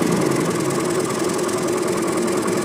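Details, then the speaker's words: Scooty Pep at idle off its center stand: fast light metallic chatter over the engine note, which disappears when on the stand as the engine mount presses the tensioner. Worn cam chain tensioner lets the chain rattle. "Chain tensioner மரம் போயிடுச்சு, அதனால் இந்த சவுண்டு வருது."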